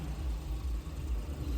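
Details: 2013 Maruti 800 MPFI, restarted after a 2–3 km drive and half an hour parked, had cranked without starting until the green relay was removed and sprayed with WD-40; now a short, low, even idle with no stumble or misfire, running normally.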